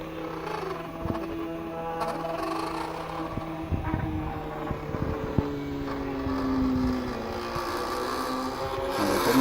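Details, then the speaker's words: Laser cutter with a 3500 mW laser driven by a RAMPS 1.4 board, during the final cut of a vinyl sticker: stepper motors whine in shifting tones with irregular clicks and rattles; the machine vibrates and is noisy when it shouldn't be, blamed on the bearings. "Donc ma machine elle vibrote un petit peu. C'est pour ça que ça fait du bruit, normalement c'est pas censé en faire."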